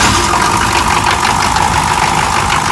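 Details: GM 6.2 diesel after starter install, starter rebuilt about ten years ago: loud, steady clatter holding an even idle with no misses or surging; healthy running engine.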